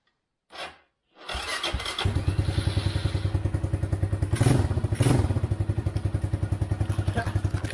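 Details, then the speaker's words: Chinese ATV sitting six to seven years, with a homemade main harness after the original shorted, started on choke with starter fluid, oil not yet changed: after a short crank it catches into a steady, even thumping idle of about three beats a second. "Idling after 6 years. Oh, more than 6 years of standing, and it just fires up."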